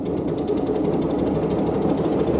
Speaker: It's quite smoky, but it is a two stroke. But listen to that. That is really rather lovely.